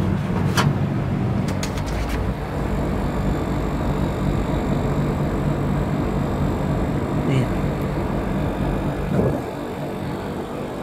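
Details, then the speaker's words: Coventry RA3005FI 3.2 kW air conditioner, outdoor unit, after its compressor failed to start and the capacitor was checked and replaced: deep, steady hum and rumble with a few light clicks early on; compressor running normally and cooling well. "lo voy a poner el aislante con la cinta adecuada muy abajo quedo mucho frío tiro ahora funciona muy bien"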